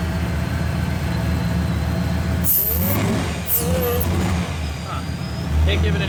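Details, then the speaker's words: 2002 Ford SVT Lightning V8 after frame-up rebuild, first start: choppy, loping idle rising and falling unevenly; owner says it shouldn't sound that lopey, otherwise runs well; battery light on, alternator not charging. "it shouldn't really sound that lopey seems to be running good under the hood though it just got a little chopped to it"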